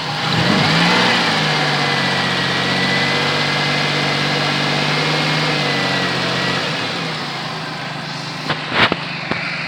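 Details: Pontiac Bonneville 3800 V6 that misfired, got coolant on the plugs and seemed to have a blown head gasket (P0171); after the upper/lower intake repair, coolant flush and oil change it idles steadily and smoothly, with no stumble or miss.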